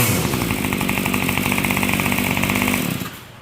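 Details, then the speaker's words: Yard Machines Y2510 25cc two-stroke trimmer, warming at half choke after repair: buzzing at steady high revs with slightly uneven beat then cutting out; runs good but top-end mixture needs slight adjusting. "And it does need a little bit of adjusting. Not much. So you hear it's running good. It just needs a little on the top end."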